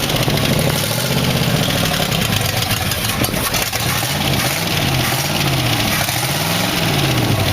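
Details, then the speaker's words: V8 in a 1914 Dodge T-bucket roadster, first start after distributor modification, new coil and wires, Chevrolet rotation found, 40 psi oil pressure, loose mufflers: loud steady rumble, no knocks or rattles; normal running. "well fire it up with no trouble ed Lily Bell rattling in it is running at 40 pounds of oil for fun"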